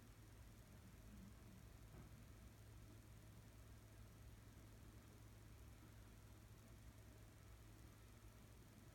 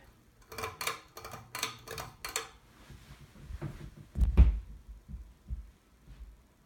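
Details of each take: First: 52-inch Seagull Lighting Celebrity Deluxe ceiling fan in a hotel room on low speed: faint, steady low hum with no ticking, rubbing or wobble; runs quietly, though it may not be screwed in properly. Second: Seagull Lighting Celebrity Deluxe 52-inch ceiling fan, oil-rubbed bronze with oak blades and no light kit, running on medium: light, evenly spaced ticks about three a second, then fading. Blades are out of balance and wobbling, possibly not screwed in properly.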